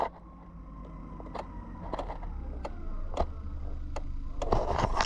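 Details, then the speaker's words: 2005 PT Cruiser 2.4 Turbo with hard shifts and no TCM communication, relay powered directly from battery during circuit test: sharp separate clicks at uneven intervals over quiet background; relay clicking normally. "you can hear the relay clicking."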